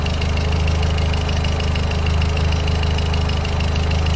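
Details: VW Voyage G5 1.6 idling after lambda sensor replacement: steady even idle with smooth low hum, only light hydraulic tappet ticking, no shaking; acceleration improved, engine healthy.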